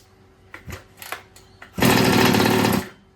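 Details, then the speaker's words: New two-stroke engine in an old Baja, choke off after an idle screw adjustment, starting break-in heat cycles: a few pull-start clacks, then an even buzz for a second before it stops; it sounds better than the first start. "Choke off. Whoops. Sounds a bit better. So we'll just let him sit here, and the piston ring and the cylinder and all the rest of the good stuff, let it sort of heat up, do some heat cycles."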